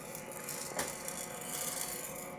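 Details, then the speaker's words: Gene Cafe coffee roaster on first use, set to 230 and just started: soft steady rattle from the turning drum with a light clunk every couple of seconds as the wiper blade flops onto its rubber bumper; normal rotation. "can hear the wiper blade, which sort of swings gently one way and then drops, sort of flops over quite suddenly the other way, hence the rubber bumper which slots into the blade."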